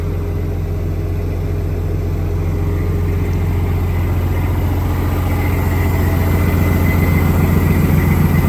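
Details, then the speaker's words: Truck that sat 11 years, first start: even, regular diesel idle clatter that firms up as it settles, no misfire or knock; good oil pressure, air pressure and voltage, airbags airing up, a couple of air leaks noted; normal idle. "Woo! She cleared up, didn't she? Man, guys, I can't believe it. It's working."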